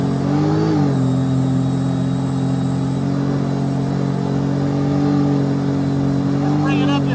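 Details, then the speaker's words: 2010 Sea-Doo RXT 260 with SBT rebuilt supercharged engine, regular mode: revs climb past 4500 rpm with a clean steady tone and smooth supercharger whine, no rattles or misses. "let's bring it up to 4500 now we can hear the supercharger engaging and let's bring it up to"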